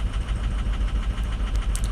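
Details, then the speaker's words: 2006 diesel pickup at 218,000 miles, fully cold, during a power-balance test. Heavy, uneven chug with a lopsided pulse at idle as cylinder 3 is read overfueling; injectors are suspected but not confirmed, and a cylinder 2 glow plug code is stored. "whoa three's overfueling"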